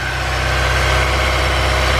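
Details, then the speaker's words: Honda S2000 first start after new gaskets and spark plugs to fix oil leaks: steady even idle, smooth low rumble, no misses, ticks or knocks; sounds healthy. "Sounds good, man. Super healthy. Super healthy."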